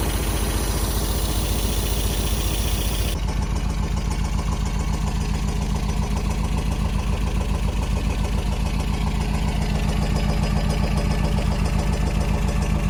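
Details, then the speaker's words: 1974 MGB four-cylinder parked 30 years, hot-wired and revived. Lumpy idle with a loose, tinny rattle riding the exhaust pulses at the back. Loose exhaust pipe rattle. "a little rattly back there there's something rattling I think yeah I think the top is loose yeah that's exhaust PP rattling"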